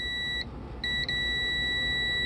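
Steady high meter beep with two brief dropouts, showing the relay contacts conducting with power off, possibly a stuck relay.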